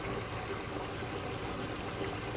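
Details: Old GE Monitor Top CK-2-C16 refrigerator, compressor drawing 262 watts: steady soft hiss and watery gurgle, no knocks; refrigerant boiling in the evaporator, mist and fog coming off it in humid air; normal.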